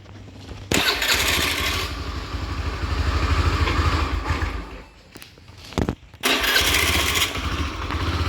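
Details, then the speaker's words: Honda Beat FI scooter, rough-sounding, with the MIL showing normal and not blinking: it starts but struggles to raise revs, sags and dies back before restarting. Engine hesitation on initial acceleration. "Gejala atau masalahnya adalah mesin tersendat saat akselerasi awal. Jadi, mesinnya tersendat saat tarikan awal, kan?"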